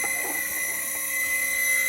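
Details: AeroGarden after a power outage: loud, steady, high-pitched whir like a dental drill; pump running dry with no water while the lights show normal.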